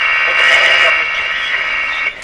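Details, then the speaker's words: Philco 37-3610A tube radio during AM broadcast-band alignment, tuned near 640: a steady high whistle with hiss from an interfering signal over the station; the loop antenna is turned to try to null it out. "So you hear that funny interference signal. I'm going to try to use the antenna to null out the interference signal and leave the radio to be heard."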